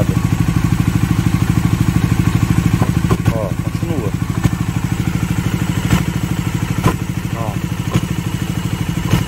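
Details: Bajaj Dominar 400 motorcycle with under 1000 km, idling: steady single-cylinder thump about three per second with extra mechanical clatter on top; clutch pulled in to check for a difference; cause of the engine noise unclear.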